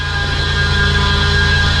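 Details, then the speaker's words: Flip-project car idling after fuel pressure fix, two idlers already replaced: steady high whine over the idle from the belt area at the front, noise not fixed; owner unsure, may need to replace the remaining idler pulley bearing. "Obviously, we still got a heck of a noise up here in the front, so I don't know what that is. As you saw, I replaced 2 of the idlers."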